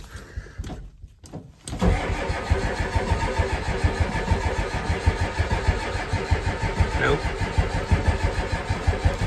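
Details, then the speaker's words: 1990 Ford F-250 7.3 IDI diesel, first start attempt in 3 years on a cold February morning, glow plugs suspected bad: starter cranks with steady compression pulses about three a second, but it never fires. It later started, possibly helped by warmer weather. "Nothing. Try it one last time. Nope."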